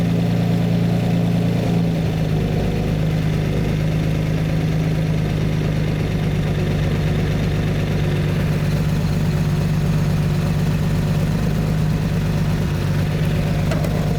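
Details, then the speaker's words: Lamborghini Miura V12 during carburettor balancing, with one carb admitting more air and the mixture smelling very rich: low idle with a slightly lumpy, uneven beat that grows smoother as the carbs are balanced. "I can also smell it's very rich the mixture too much petrol for the air going in that's better much better okay same at the back beginning to get a bit smoother now"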